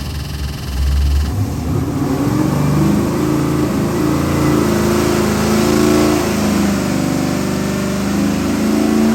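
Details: Ford 7.3L Godzilla crate engine with InnoV8 ITB stack injection, cast iron 6-bolt block, forged pistons, H-beam rods, destined for an AC Cobra replica: fires, then strong even V8 run with clean rising and falling revs, no knocks or misses; healthy.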